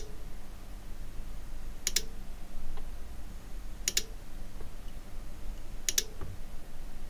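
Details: Cambridge Audio Minx Air 100 wireless speaker with no power and no lights: a sharp double click repeats about every two seconds in a quiet room as the switched-mode power supply cycles in hiccup. No hard short was found.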